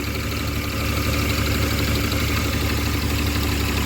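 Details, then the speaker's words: BMW E34 5 series M50B20 at warm idle, just after it cut out again. Uneven pulse of about three beats a second with a wavering level. Owner suspects a vacuum leak or the idle control valve; folded intake pipe refitted. Rough idle. "oh okay dude so I was just about to celebrate and as you saw it cut out again so I'm just gonna leave it running for a bit maybe I can see what the [ __ ] is going on"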